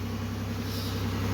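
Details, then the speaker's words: 2008 Pontiac Grand Prix 3.8L V6 running after replacing the ignition control module, which fixed a misfire on cylinders 2 and 5 that new coil packs had not cured; smooth, even low rumble with no skips, speed creeping up slightly. "all right no hesitation smooth as butter everything's running right got to love it when a plan comes together"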